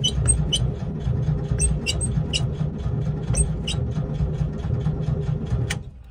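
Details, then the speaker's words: 1979 Volkswagen Type 2 bus: steady starter cranking with rhythmic chirps about four a second and a low churn, nearly catches but won't start; owner suspects low fuel, gauge below reserve; crank no start. "I don't know if you can hear it back there but it's trying to crank over it's trying but to be honest that fuel gauge is below the R"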